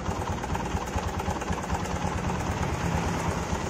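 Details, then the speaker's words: Honda Megapro Primus motorcycle with a rough engine, noise mainly on the left side: uneven clatter of knocks about once a second at idle; suspected cam chain or valve clearance, unconfirmed; engine knocking. "ya jadi suaranya cenderung di bagian kiri Ini nah ini terjadi karena suara dari rantai ketengnya suara rantai keteng"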